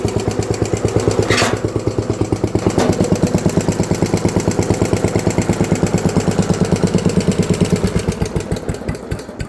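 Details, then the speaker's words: Tractor engine at idle, knock louder on the valve side than the generator side, none near the crankshaft, owner suspects loose valves and says louder when hot: sharp, even hollow knock about three per second, louder than before. "still that same hollowish kick it had before, but it is definitely gotten louder."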